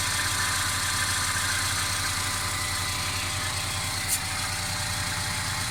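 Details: Mercedes CLA 250 engine at idle: a constant, fairly fast rattle over the engine note, source unknown. The car also stutters when accelerating after long slow driving.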